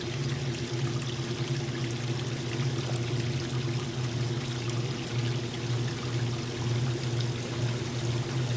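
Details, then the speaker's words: 1989 Maytag A482 vs 1978 A408S top-load washers, small loads: steady low pump hum with rushing water, no rattle or straining, machine quiet; normal drain pump operation. "how quiet that is sit for a minute before it too starts to drain should be any second now there we go"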